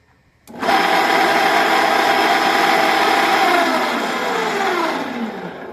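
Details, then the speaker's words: Small household water pump (Tullu) motor run directly after an earth check: it starts with a loud, harsh rattling whine that drops in pitch as it winds down. The motor's bearings have gone bad, causing the excess noise. "तो अभी इसके अंदर जो problem जो बिल्कुल clear यहां पर समझ में आ रहा है कि इसकी जो बेरिंग है वह खराब हो चुकी है और इसी वजह से जो है य इतनी सारी आवाज कर रहा है"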